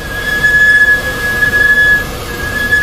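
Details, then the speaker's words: Car brakes: high steady squeal near two kilohertz each time the brake pedal is pressed; a shop said the pads needed replacing, and the owner plans to check the pads and replace them if at fault. "好，听到没有？一踩刹车就吱吱的响。"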